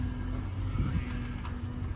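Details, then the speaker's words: 2000 Toyota Tundra SR5 4.7L V8, after sitting days and a fluid top-up: steady mild whine over low idle while steering left and right, quieter than before refill; owner suspects bad power steering pump needing replacement. "but obviously when you hear that sound it's the sign of a bad power steering pump but i'm going to show you as i steer left and right it is i mean"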